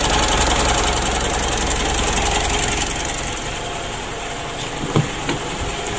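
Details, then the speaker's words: Mitsubishi Pajero Sport Exceed diesel after air filter cleaning and small checks: harsh, uneven idle with fast clatter about 3.5 knocks per second from the front; mechanic suspects the supply pump is beginning to wear, not confirmed. "lalu yang suara pada bagian depan ini ya sudah kita analisa itu supply pump nya atau Palm ya pompanya itu menurut saya sudah mulai aus tapi masih kecil suaranya ya"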